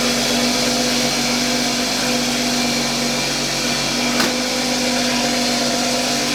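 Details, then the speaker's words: Toyota A90 Supra with blown turbocharger, before replacement with a new 6-port turbo, heard from the turbo side: loud, rough whirring hiss and steady drone over the engine at constant speed; sounds terrible. "So I'll show you guys what the turbo sounds like right now. It sounds terrible, absolutely terrible."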